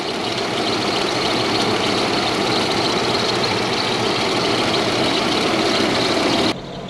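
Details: Toyota Soarer with 1UZ-FE V8, running after fuel pump bridged and fuel flow restored, started with screwdriver key: uneven lumpy idle with loose irregular beat and loud hiss, not firing on all cylinders.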